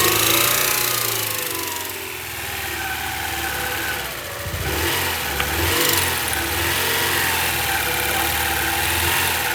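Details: 1999 Honda Prelude, 113k miles, dies after about 30 minutes idling warm, suspected flooded rich; during a spark check, with gas added, engine runs unevenly with lumpy, wavering revs and a stumbling note: rough running when revved.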